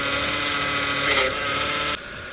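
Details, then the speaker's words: BMW E92 328i running, power steering pump giving steady high whine that drops near the end as fresh fluid circulates during fluid change; whine mainly on cold start, fading as it warms. "I'm turning the car on and I want to show you the whining noise that it still was having until the fluid was rushing through the from each compartment"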